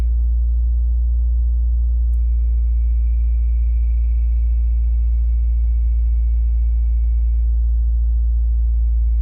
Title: 2017 WRX squealing noise when clutch is depressed